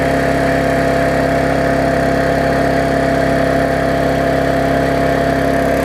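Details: Yard Machines mower single-cylinder after tune-up (auto-throttle unbent, carb diaphragm, air filter, oil change, blade sharpened): steady even buzz, no surging or missing, burning off excess fuel with some raw exhaust; normal running.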